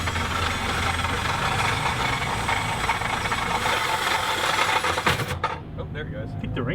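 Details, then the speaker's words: Lexus IS200 converted to IS600: harsh continuous metallic grinding and clatter over the running engine, coarser than normal, as the starter ring gear has broken off the outer edge of the flywheel. "have fallen off it sounds like the ring gear this is literally supposed to be on the outer edge of the flywheel"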